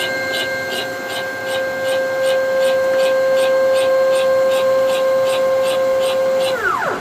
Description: new equipment, progress update, wierd noise issue